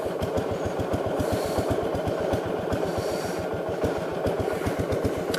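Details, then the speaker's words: 1969 Gravely 430 single-cylinder, idle turned up and carb adjusted, throttle cable possibly not working: low, lumpy, irregular thump at about two and a half pulses per second; rough running, owner suspects it is flooding. "i swear it sounds like it's flooding doing it"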